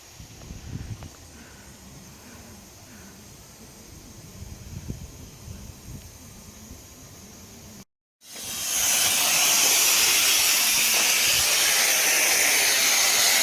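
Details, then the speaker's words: DIY sprinkler blowout through a garden hose connection: quiet for eight seconds, then a loud steady hiss as the airflow, backed off after the pressure vacuum breaker valve seats, pushes excess water out of the zone line. "Then I'll back it off to maintain the air, because all it is just pushing the excess water out of the line right now."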